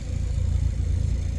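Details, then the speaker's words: Honda Civic EK with a replacement D-series engine, almost warm and warming to temperature: low, steady, even idle with nothing rattling or ticking; running cleanly with no big issues yet. "But yeah, other than that, she's running. She's running pretty good. Not having any big issues yet."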